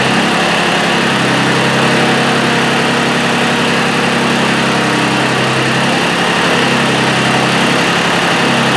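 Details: Mitsubishi Satoh S470D Buck diesel tractor after new transmission/hydraulic screen, oil filter, fuel lines and fuel filter: steady busy idle clatter, no misses or knocks, though owner felt it wasn't running quite right and considered bleeding injector lines.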